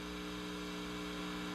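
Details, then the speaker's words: Sears Silvertone Twin Twelve 1484 tube amp, signal tracer probe on the output 12AX7 after a noisy resistor was replaced; quiet steady low hum under faint hiss, no crackle or pops, with the hum coming from the probe. "now we're listening to output 12ax7 and it sounds really nice except for when my hand moves because obviously it's just a probe"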